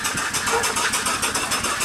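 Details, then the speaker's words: Upright steam engine that sat for years, after repair, running on 25 psi steam: steady, unhurried chuffing at roughly six exhausts a second, even and smooth. It runs well. "all right you see we're only running 25 pounds all right there's no water in it now it's working good"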